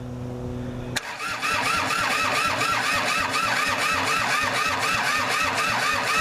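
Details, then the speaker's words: Kubota L2500 diesel tractor cranking after bleeders were cracked and the glow plug checked. Steady cranking at about two beats a second with ragged, uneven firing that never catches cleanly; no throttle response despite a return spring added on the injector pump. Cause unconfirmed. "whew you could tell that what is firing is horrible and I'm not getting any throttle with this thing"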